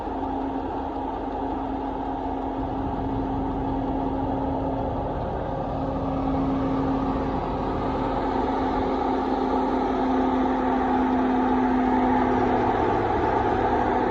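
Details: Mercedes-Benz M119 V8 at idle: fast light tick about four per second over a steady idle; belt suspected then ruled out, hydraulic lifters bought as a possible fix, cause unconfirmed.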